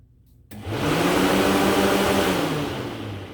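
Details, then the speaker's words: 1969 Pontiac GTO cooling fans kick on via relays with temperature sending unit jumpered to ground after an overheating problem: steady even whir and hum; cause was a corroded connector terminal limiting current, fans now run normally. "it was just that terminal that was corroding uh not allowing enough juice to pass through it to get the fans to run"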